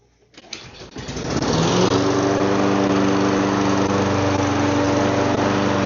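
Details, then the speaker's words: Donated lawn mower that wouldn't start; after carb cleaning it fires after a second of cranking and settles into a steady even drone, no misses or surging. "Yeah, it just needed carb clean and new air filter."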